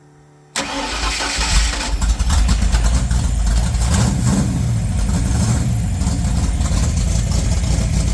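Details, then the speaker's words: 1981 Mustang LX Fox body, freshly built 302HO with Lunati hydraulic roller cam, SVO aluminum heads, Vic Jr intake, Demon 750 carb, long-tube headers, start on 11.3 V battery: brief crank, loud lumpy uneven idle; runs but rough. "But, uh, very soon you're going to see this thing under its own power driving. We're not far off. So, but today you'll see the car running, get to hear it, you know, hear the thing idling. It's not perfect, but it runs and it's substandard and it's mine."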